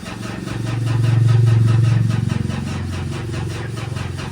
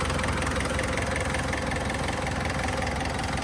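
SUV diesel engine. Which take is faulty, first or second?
first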